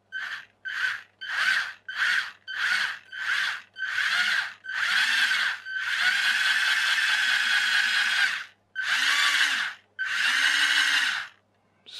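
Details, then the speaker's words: RC rock crawler fitted with a resin-moulded replacement universal joint, filed to fit and stiff: the motor whines in short repeated bursts, stalling then catching and running longer; the owner thinks a gear may be missing. Motor straining against a stiff drive joint. "I've had to do quite a bit of foiling on that molded piece the resin piece it's a bit stiff I I'll be very surprised if we actually get it to work"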